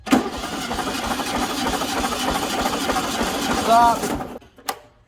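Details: 1974 VW Super Beetle during compression test, spark plugs out, coil wire disconnected, throttle fully open: steady even starter cranking at about three beats a second, then stops; turns over normally, cylinders reading 130.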